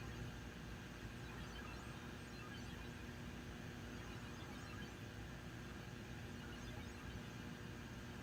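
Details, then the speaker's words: Stereo speakers connected to a TV, playback paused on streaming: steady hiss with a wavering, whinny-like squeal coming out of the speakers; source unclear. "And noise is coming from the stereo. It's connected to the TV. It's a weird noise."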